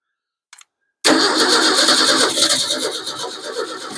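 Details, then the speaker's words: 1953 Ford 4x4 with carburetor, choke set: engine fires abruptly, runs about three seconds, then fades and dies; probably needs gasoline, as it was expected to run out after last use. "I think it needs gasoline remember I said it would run out last time I was using it"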